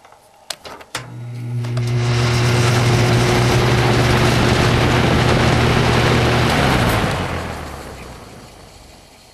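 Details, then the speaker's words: Toastmaster box fan, only light dust in the motor, switching on: strong low hum and rushing air that fades after a few seconds; odd startup noise, cause not identified. "Whatever that was. That's the startup noise."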